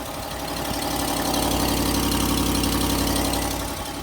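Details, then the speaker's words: 2019 Ram 1500 HEMI V8, high mileage, cold start: sharp even ticking about four per second over idle, tracking engine speed; cracked exhaust manifold leaking, goes quiet once warm as the cast metal expands. "cold so that's definitely not normal and uh the the tricky thing about this exact exhaust manifold crack problem is that when it warms up that that cast material it expands again and that crack fills and it gets quiet"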